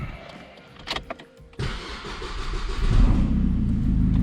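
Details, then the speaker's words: 2005 Opel Corsa 1.7 CDTI diesel after new flywheel, clutch, timing belt and main seals, first start, exhaust not fitted: a few cranks, then loud rough low diesel grunt with open exhaust bark. "but that's what she sounds like without the exhaust she's a real diesel grunt even with the exhaust on"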